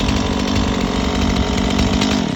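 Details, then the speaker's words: Stihl MS 180 C chainsaw on 93-octane gas and synthetic oil mix, warm restart with one quick pull: it fires right up into a steady, even two-stroke buzz without stumbling or surging. "now if you want to restart it because it's warmed up you just turn it on and you do a quick pull fires right"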